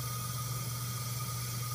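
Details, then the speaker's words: Ford 6.0 diesel, no-start when hot, engine hot, shop air applied to high-pressure oil system for leak test: steady hiss over a constant low hum as air escapes, showing quickly. "Okay, this one's actually showing up pretty quick. I just hooked the air up."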